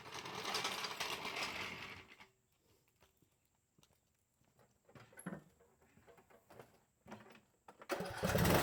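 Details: Husqvarna riding lawn mower after replacing mower deck spindle and pulley and rerunning the belt: engine catches and runs at a steady, even speed, drops out, then fires again with no knock or grinding from the deck. Normal running.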